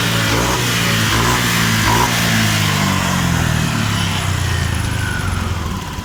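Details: Honda Vario 125 scooter, hesitating at mid and full throttle from a faulty throttle position sensor, revved during testing: engine climbs smoothly through the revs and settles back without stumbling; throttle response clean, fuel pressure normal.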